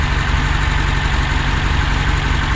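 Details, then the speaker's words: 1966 Porsche 912 after carb float and distributor work, warm-up idle around 1200 rpm, carbs not yet balanced, some oil smoke: low slightly lumpy pulse with faint hunting, running on all four but idle sensitive to adjust. "but it's running on all four and I I was adjusting the idle and it's it's sensitive"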